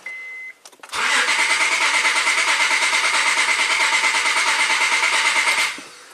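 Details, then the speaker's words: 2006 Honda Accord V6, 205k miles, P0300 misfire, cranking with a pressure transducer fitted in one cylinder, which adds volume: fast, even cranking with one beat per cycle lighter, showing low compression on that cylinder. "so now you could you could hear um clearly hear that one of the cylinders was a little low on compression and that's the one that we we installed the cylinder pressure transducer on"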